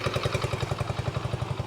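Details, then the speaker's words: Vintage Honda motorcycle from a 14-bike will-it-run batch, first start after confirming spark, key on and fuel: even, steady thumping at about ten beats a second, no misses or knocks, settled into a healthy idle; charging system works. "oh and it's idling it is a Honda guys that's one one down I still got plenty of time left on this that's pretty good"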